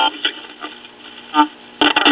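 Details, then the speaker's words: 1965 GE tube AA5 AM clock radio after filter capacitor replacement: crackling static bursts in the speaker as the dial turns, from an intermittent short in a tuning capacitor section causing a dead spot around 750-900 kHz; plate straightening and ohmmeter found nothing. "there's a certain section of the tinging capacitor that's shorting out and you can hear what's happening the static and the speaker as I turn"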